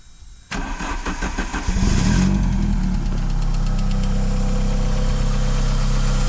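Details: Heavily modified Mk2 Vauxhall Cavalier with C20LET turbo engine, after fitting a donor V-belt alternator and jump pack, charging just under 13 V: brief crank catches cleanly and settles into smooth steady idle with no misses or flutter; normal start.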